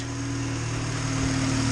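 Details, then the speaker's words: Honda CRX with a B20V engine after installing cheap decapped truck injectors for high power and E85; fuel map possibly cut about 10–15%. A steady, even, smooth idle, no misses, ticks or hunting; runs like factory, no leaks. Normal idle. "It honestly runs like factory. You can listen to hear how smooth this thing is. Listen how smooth that engine is."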